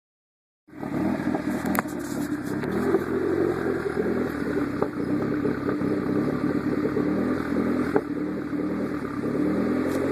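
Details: Hydra with a diode overheating issue: runs great for 10–15 minutes, then once hot the engine stumbles with an uneven beat and skipped firings, a heat-related ignition misfire.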